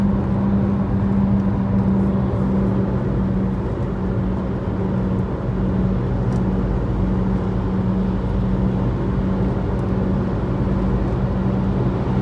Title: Mini cooper f56 making recurring humming noise, bad wheel bearing noise